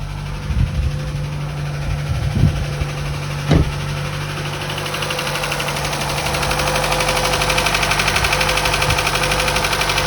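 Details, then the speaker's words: Chevy Cruze 1.4 turbo right after head gasket replacement, no check-engine light: quick, even ticking over a steady idle; lifters reinstalled without soaking in oil, noise expected to fade after a few minutes. "I didn't soak the lifters in oil before I reinstalled them which I should have but that noise should go away after a few minutes"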